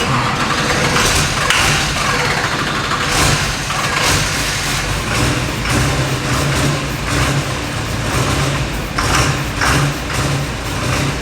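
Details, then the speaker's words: Duramax diesel swapped into a wrecked K20 truck, first start on jump: loud, uneven diesel clatter surging and sagging, only kept running on starting spray; fuel issue suspected, possibly a CP3 damaged when the rolled truck kept running upside down. "oh he's getting all the spray now all the spray look at zach's controlling the idol here with his friends"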